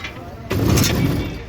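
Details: Electric rickshaw with a loading problem: with throttle in forward or reverse, a heavy low growl rises and holds while the rickshaw won't pull. The owner suspected the axle, a bearing or the motor gear; the sound points to burnt motor phase wiring.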